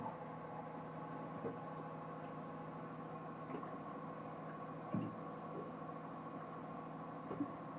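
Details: Odd steady electrical buzz with a few faint ticks from a Pro Mariner marine battery charger on a MerCruiser boat; cause unknown, abnormal buzzing noise.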